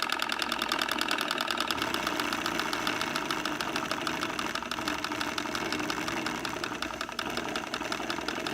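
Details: Two-cylinder alcohol-fired Stirling engine, cleaned and watch-oiled after heavy resistance, driving a generator from its flywheel: fast, even chuffing beat around two to three per second with light mechanical clatter on top; normal running under generator load.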